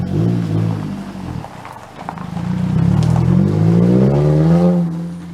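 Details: Car revving with a loud, raspy, popping blat like a cherry bomb muffler that grows louder as revs build; garage confirmed a failed muffler, exhaust blowing through.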